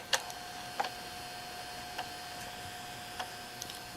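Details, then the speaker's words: JVC VHS-C camcorder after repair (take-up belt had slipped off its pulley and was eating tapes), recording: quiet tape transport with faint, sharp clicks at uneven intervals about once a second; remaining clicking the owner expects to go away eventually. "You might be able to hear that clicking, but that is all it's doing, and I have a feeling that's going to go away completely eventually as well."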